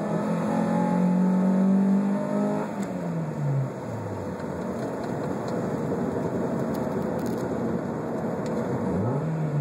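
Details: 1997 Honda Prelude fully warm after about 10 minutes of driving, second-gear full-throttle pull: climbs smoothly, then sputters and stops pulling from about 4500 rpm to redline; plugs, wires, coil, distributor and TPS already replaced.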